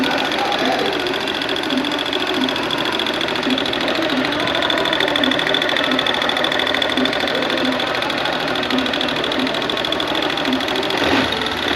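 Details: Honda Bros 160 motorcycle engine runs steadily with a light, fairly even tick on top, around ninety a minute, source unclear; abnormal engine ticking noise.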